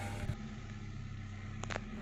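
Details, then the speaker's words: Hyundai Verna automatic, 1.6 petrol, after ECM replacement (previously hard jerk into reverse, stuck in 3rd gear): steady low idle holds with no thump or dip as selector moves Park to Reverse; smooth reverse engagement. "Liver parking mode में है और liver को मैंने reverse में किया तो देखो अभी कोई झटका नहीं आया।"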